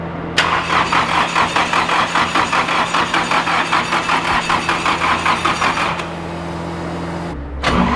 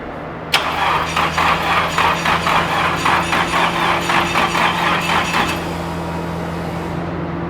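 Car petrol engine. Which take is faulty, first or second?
first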